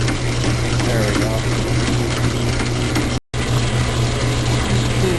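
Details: Logan lathe taking interrupted cuts on a railroad-spike steel bar: steady gritty change-gear chatter with a low hum underneath, caused by a homemade idler stud that worked loose; fixed by tightening it.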